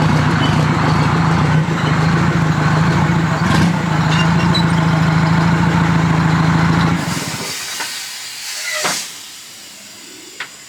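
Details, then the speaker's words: 1973 Diamond Reo with 8V71 Detroit diesel and 13-speed transmission, first drive, in neutral at idle: heavy diesel drone with a loud steady air hiss, then the engine stops; range shifter works high and low but leaks heavily. "Well, okay. The shifter wasn't leaking. Now it's leaking a lot."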